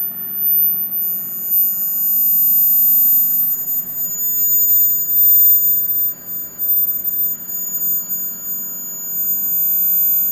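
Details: Klipsch ProMedia 2.1 subwoofer giving off a steady, piercing high-pitched whine that holds level throughout with little else beneath it; cause not yet traced.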